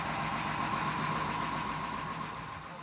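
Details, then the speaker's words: 2003 Grand Marquis engine in cab-swapped project truck, first run after three years sitting, belt off and antifreeze drained: soft even idle, faint steady hum, very little exhaust bark; very quiet, runs smooth. "But it's running. [Applause] Yes. Wow, that's quiet. That is a very quiet"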